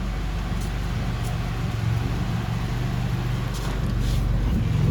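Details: Honda Civic with swapped F23A four-cylinder, warmed up after cold start: even, smooth low rumble with no misses or knocks, a normal healthy idle.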